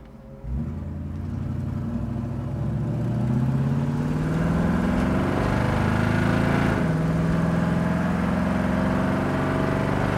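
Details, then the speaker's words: 1965 Ford Mustang Fastback automatic on a road drive near 65 mph: engine note climbs under throttle, then drops cleanly with no flare or slip; a smooth, well-timed upshift, normal shifting. "I don't know if you guys heard it shift in the video or not but but the car shifts fantastic it's a nice smooth shift boom boom just where it should"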